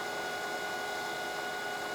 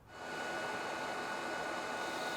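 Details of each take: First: Lathe turning a plug gauge, tool fed slowly by hand into the shoulder on a 0.100-inch cut: thin steady high-pitched ring over the cut; tool chatter, quieter when feeding faster or stopping. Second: now this is cutting so nicely I think that I'm just going to leave the settings exactly the same and take a cut of fifty-five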